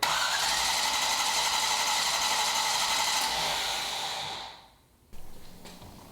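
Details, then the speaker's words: Rebuilt 1973 International Scout II, fuel-injected, first-fire attempt: cranks steadily about four beats a second without catching; spark confirmed but no fuel reaching engine. Owner suspects under a gallon in tank leaves fuel pump pickup uncovered. "i've been having no luck you saw gavin confirm their spark but i'm not getting fuel"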